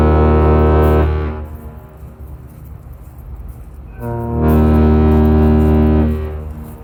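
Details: Laker James R Barker arriving at Duluth at night in thick air, after an earlier salute misfired: two long, deep horn blasts with a steady low tone and a clean cutoff between them, a normal, healthy salute.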